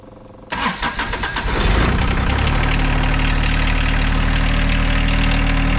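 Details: John Deere 1025R subcompact tractor diesel after 200-hour service, fuel filters changed and system primed; short crank, catches quickly, steady even idle with no misses or knocks; normal start and idle.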